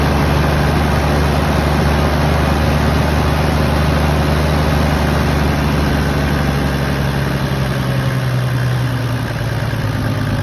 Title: 1HZ power loss/rough idle